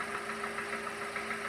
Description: 01:44 The engine shakes and jitters